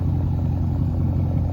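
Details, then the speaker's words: 2002 Mercedes CLK430 V8, about 170,000 miles, sat for a couple years, no-start fixed, straight piped all the way back: deep, loud, steady rumble with no misses or ticks; smooth normal idle. "Straight piped all the way to the back."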